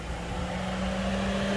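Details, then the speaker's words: 2012 Hyundai Santa Fe radiator cooling fan run on high speed by manually jumping the relay connection: even fan rush with a steady motor hum rising slightly in pitch as it spins up; normal high-speed fan operation. "And now we can see that the fan is moving at a higher clip."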